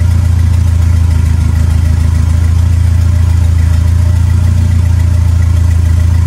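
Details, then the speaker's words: Smokey's Lima with a swapped 2.3L turbo four on PIMPX batch-fire engine management, warming up at idle for a base timing check: steady, deep, even idle with no knocks or misses; normal idle. "well it starts and runs now we're just going to verify the timing so we're just gonna start it up and warm it up"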